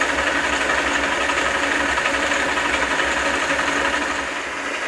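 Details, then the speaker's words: South Bend lathe gear train with nylon gears, fitted with pumped recirculating oil system: steady even whirring mesh, no grinding or knocking; gets quieter with each pump; normal lubricated gears. "I like it gets quieter every time I pump it I can pump it all I want cuz I'm not wasting oil now gets recycled"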